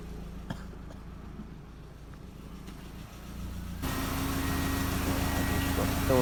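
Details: MK4 Jetta 1.8T idling after head gasket repair with replacement head, new timing belt, water pump and thermostat; steady even low idle, smooth hum, no knocks or misses; smoke.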